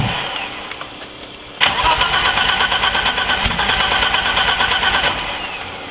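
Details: Turbo BMW E30 with 30lb injectors on a WAR chip turbo base tune, running extremely rich, plugs changed, constant CEL: cranks, catches abruptly, lumpy idle near dying, held at about 2k rpm; hard start and stalling. Cause unconfirmed.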